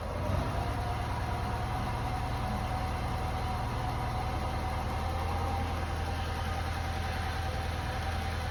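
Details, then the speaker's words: Lancia Delta HF Integrale, long-stored, after new fuel pump and four replacement injectors, now warmed up a little: smooth, steady idle with even low hum, no hunting or misfire; running much better. "now warmed up a little bit and as you can hear it's it's running a lot better"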